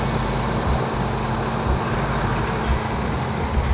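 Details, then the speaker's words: 1970 Plymouth 'Cuda 340 V8 at idle: rough metallic clatter about once a second; owner unsure whether lifters that may pump up, torque converter or flex plate hitting the shield, or bottom end. "I just hope that it's nothing massive because that's going to be a setback we just can't afford right now hopefully it's the lifters and they pump up I don't know"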